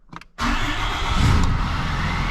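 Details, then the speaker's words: 6.7 Cummins in a 4th Gen Ram, started after changing both fuel filters and priming fuel: starter catches at once and settles into a steady, deep diesel idle with no stumble or misfire; healthy start. "just like that guys we got the truck running Perfect"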